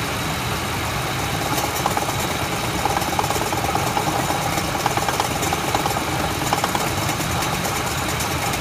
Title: Ford F-150 Triton "Rattle" Noise